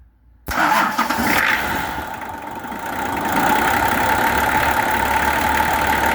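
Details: Nissan LD28 diesel truck engine with a partly repaired starter cranks briefly after glow plug heating, catches and settles into an even, steady idle with no knocks or misses; sounds like a good engine with good compression.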